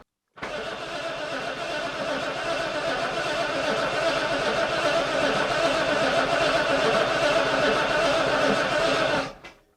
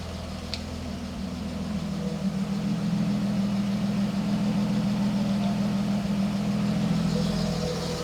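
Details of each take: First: British Leyland Princess 2200 automatic, new oil and fuel, oil pressure present, fuel pump unverified: nine seconds of steady cranking at about four compressions a second, never firing. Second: British Leyland Princess 2200 automatic after revival, carbs possibly unbalanced, some smoke from added oil: steady, even low hum at idle with no knocks, misses or surging; running really smoothly.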